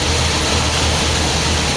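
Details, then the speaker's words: 1979 Chrysler B-body after power steering pump and pulley replacement, fluid full at cold mark: loud, steady idle with smooth low drone, belt running true, no knocks, whine, squeal or visible leaks. "all right show you more well looks like it's running pretty true the belt well that's good i don't see any uh anything coming out of it so"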